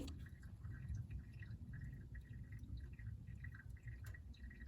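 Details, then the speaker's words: Toyota Hilux diesel that had blown blue smoke on startup, engine just switched off. Soft irregular dripping and trickling under the hood is oil running back to the sump, which is normal. "What's that noise? That's the sound of the oil running back to the sump, so don't worry about that, that's normal as well."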